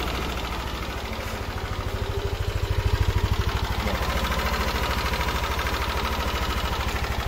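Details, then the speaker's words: Yamaha NMAX engine idling with a light, steady ticking over the low, even exhaust pulse, not very loud yet, before disassembly to fix it. "Okay so yun yung tunog niya hindi pa naman kalakasan pero meron ng konting lagatik"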